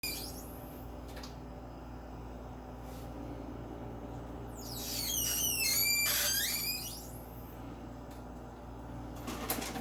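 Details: Personal Chiller Nugget ice maker one day after purchase: quiet hum, then a loud high squeal wavering up and down for a couple of seconds and trailing off; cause not identified.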